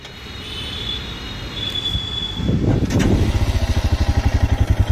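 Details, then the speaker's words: Royal Enfield Himalayan single-cylinder, after start-up: quick, steady "kit-kit" tick over the idle, about three a second; tappet (valve clearance) adjustment has gone out, a common Himalayan problem, fixed by adjusting the tappets. "ये आप सुन सकते हैं engine का जो sound है किस तरीके से kit kit kit kit kit kit की आवाज़ आ रही है। और ये टैपिट की जो एडजस्टमेंट होती है जब वो आउट हो जाती है वो साउंड होता है ये।"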